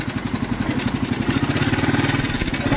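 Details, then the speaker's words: Idling single-cylinder motorcycle: a heavy, rapid clatter and knock with every firing stroke and strong vibration, unusually loud. "parang wasak ngayon lang din ako nakakarinig na Garing kalakas na tunog Sadya kakaiba sasabog na tayo lakas ng vibrate"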